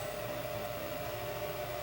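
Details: Air Ease furnace with no-heat complaint and fault code 290: inducer motor ramps up after calibrating heat exchanger and venting; steady even whir, constant mid-pitched tone, no knocks or rattles; normal inducer run.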